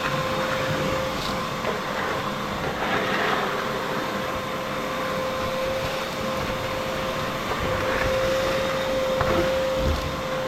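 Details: Shop vacuum running: loud steady motor roar with a constant high whistle and airflow hiss, no surging or grinding; noisy but healthy, owner says it sucks well but is kind of noisy.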